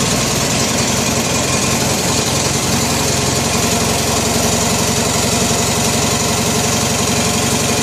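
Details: Original 16 hp Briggs opposed twin on a Turf Master lawn tractor imported in the 1980s, no repairs since new, idling just after a cold start (about 23–24°C) on choke, out of gear: a steady, even thrum with no knocks or misses; normal idle.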